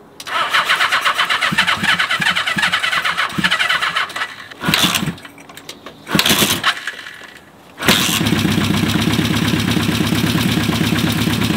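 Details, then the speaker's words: 1975 Honda CB550 four, first start after 10–20 years parked, low battery, on choke, slight carb fuel leak: weak cranking then catches to steady choke idle; runs on only three cylinders, possibly a too-small jet, not yet checked. "the motorcycle motor runs very nicely on three cylinders so let me fire it up and let you guys hear it"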